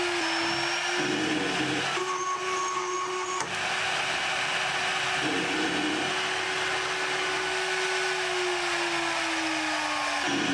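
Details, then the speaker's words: Shariff DMC2 CNC milling at maximum tool/machine limits: steady high spindle whine with a harsh screeching burst; pitch drops suddenly as an overloaded 2 mm end mill breaks twice. "what i wanted to point out is that you can hear the spindle start to bog down before it snaps"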